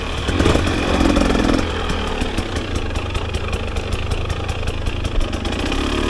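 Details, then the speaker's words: 2024 KTM 300 XC-W two-stroke in the woods: loud low drone with uneven, stuttering firing below a quarter throttle, running rough and blubbery off idle. Cause not pinned down. "sure anything below a quarter throttle it just sounds like it does not run right there"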